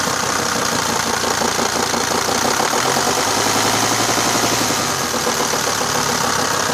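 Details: Mercedes-Benz 410 D Sprinter, OM602 diesel, steady idle: a dull, irregular low knock under the clatter that changes slightly with the clutch pedal or with injector lines loosened. Crankshaft main bearing play, not loose bearing-cap bolts.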